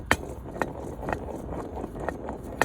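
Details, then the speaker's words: Worn wheel bearing from a 1.2 petrol Vauxhall Corsa C, removed and spun by hand: grindy, crunchy, not smooth, a gritty rumble with sharp clicks about twice a second; the new bearing is silent by comparison. "I don't know if you can hear this. It's like grindy and crunchy and it's not very smooth."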